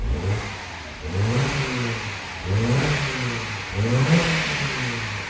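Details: BMW Mini after cleaning a blocked VANOS solenoid and clearing the code: three clean throttle blips, revs rising and falling smoothly with no hunting or stumbling; engine now pulls evenly.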